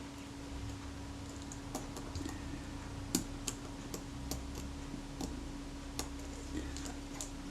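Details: Kodak Retina IIIc self-timer being serviced and refitted: light, unevenly spaced clockwork ticks over a faint steady hum; the escapement hesitates instead of running down smoothly, sticking, cause suspected not confirmed.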